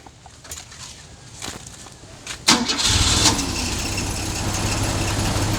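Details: Holden VH Commodore, first start after sitting in a paddock, with new vacuum hoses, oil and coolant and a charged battery: quiet, then the starter bites and the engine catches cleanly and settles into a steady, even idle; sounds healthy.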